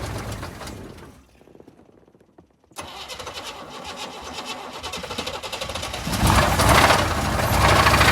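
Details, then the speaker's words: Blown engine started in mildly chilly weather: cranks, catches, rough run with quick steady banging under the engine note rising with revs; owner calls it a rod knock yet it still makes oil pressure. "I mean it's making oil pressure so why would it be banging that just make an oil pressure"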